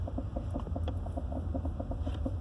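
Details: Quick, steady knocking about eight to nine times a second over low road rumble at slow speed; knock appears when turning, also checked backing up and going straight; cause not yet found.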